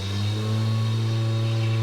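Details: Nissan 240SX S13 with swapped twin-turbo 1JZ (Toyota Soarer) just after its first-ever start: strong steady engine note, clean low drone, slight rise as throttle opens; runs smooth and even, healthy.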